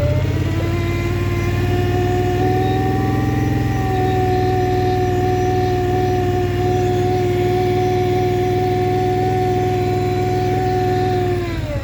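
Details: Scrambler XP 1000 S engine holding steady revs with a clear whining tone riding on top, easing down at the end; odd noise, cause unknown.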